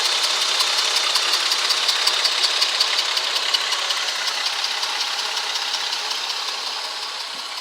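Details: 2004 Ford Freestar idling a little rough with a fast ticking rattle, two to three ticks a second; no codes, drives; plugs, wires, coil and fuel filter already replaced; cause unknown.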